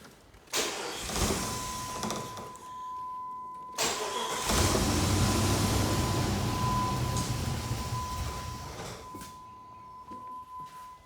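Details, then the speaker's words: Old Jeep just bought, after a short drive where it shifted well: cranks, catches, runs a few seconds, misses and dies; fuel starvation, tank empty. "I thought I was getting somewhere but it started missing and died"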